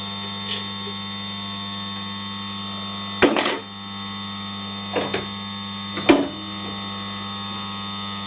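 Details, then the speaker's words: Straight-cut gears run before oiling: steady humming drive tone with occasional loose clunks as lash takes up; ordinary straight-cut gear backlash noise, nothing wrong. "the the gears are noisy the all as noisy the straight cut gears that's just a backlash"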